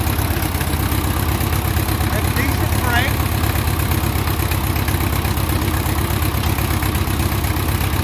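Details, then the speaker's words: 1957 Ford 660 tractor idling after first start in 13 to 15 years, started with choke: deep, loud, uneven thumping with a raw open bark; owner says it needs a muffler. "not bad for 13 to 15 years. Sounds like it needs a muffler which is okay,"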